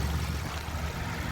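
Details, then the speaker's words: 2015 Mazda CX-5 four-cylinder direct-injection engine at idle after startup, engine bay: steady low idle with a light quick tipping-tapping; the injectors pulsing, which is normal and good. "Now, if you listen close, you'll hear that tipping tapping sound. Uh basically, on these newer vehicles with the direct injection, you're hearing the pulse fire of the injectors."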